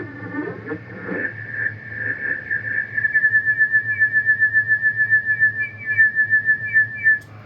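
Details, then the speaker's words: Yaesu FT-901DM being zero-beat against another radio, microphone held close: steady whistle near 2 kHz throbbing with a slowing beat of about three pulses a second; nearly zero-beat heterodyne tone. "use the old Collins Canary thing called zero beating and the faster it moves the worse you are so this is specifically going to be how I zero beat one of these"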